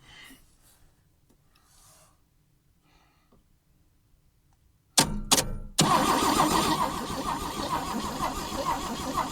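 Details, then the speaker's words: 1965 AMC Rambler American, sat 30–40 years, cranked with a good battery instead of jumper cables: starter spins briskly, engine catches cleanly and settles into a steady run. "Oh yeah, that sounds good. That sounds really good. That's a lot better. It just didn't like jumper cables."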